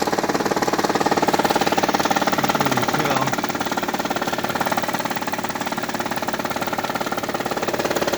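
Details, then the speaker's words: 2004 Hyundai Sonata petrol engine at idle with a fast, steady clicking, about three clicks a second; noise does not occur in drive at 20 mph and above. "my 2004 Hyundai Sonata. Making a lot of funny noise at idle. This is at idle."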